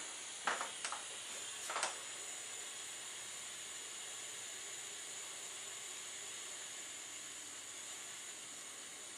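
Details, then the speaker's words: Bernzomatic butane soldering iron with glowing ceramic tip: a few ignition clicks, then soft even gas hiss with no whistle, unlike older torch; normal running. "what I see right now is it's kind of ceramic that does glow it doesn't whistle like the older torch does"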